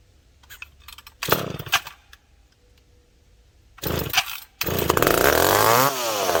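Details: McCulloch PM700 chainsaw after carb cleaning, needle adjustment and refitting a misplaced gasket, restarted after a few minutes, possibly on choke: a few rough pops, then it catches and screams up with clean, rising revs and steady throttle response; running normally.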